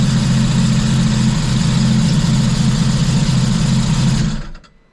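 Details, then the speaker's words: 2014 Scarab 195 supercharged jetboat, 300 hours, bought after it shut off and locked up, now after repair with exhaust redirected and resonator deleted: catches and settles into a loud, even, deep-rumbling idle with no knocks or misses, then cuts off; ran fine without water test, no codes. Normal idle. "So, I really didn't water test this, but I did run it. Um, it did run perfectly fine. No codes."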